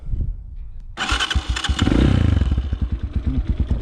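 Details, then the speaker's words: Zonsen 250 enduro with 172FMM single-cylinder engine, start-up; one quick crank, catches and thumps at a steady idle, no misses or mechanical rattle; exhaust not loud with this muffler; clean start. "Аталған түрі. Дауысы қатты емес, такой глушитель."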